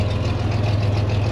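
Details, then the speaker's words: 1961 GMC COE truck from auction idling, original fuel pump replaced with an electric one by previous owners: deep, smooth, even rumble with no knocks, ticks or misses; normal idle. "Sure sounds good. They said the original fuel pump quit on them, so they put an electric one."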